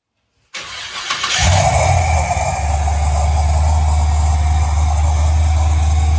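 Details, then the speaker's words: 1965 Chevy Nova V8 with new cam, first start-up after rebuild and TPS reset after throttle-plate adjustment, still warming up: catches quickly into a smooth, even, slightly choppy burble; idle expected to drop as it warms. Normal idle. "Yeah, that's smooth. And now as it runs a little warmer, the idle will go down."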